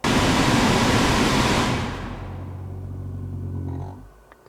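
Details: Lexus CT 200h A/C blower under passenger glove box, old previously repaired fan spinning down from maximum: rushing airflow fades, then a low rough grumble lingers as it coasts; worn blower motor before replacement.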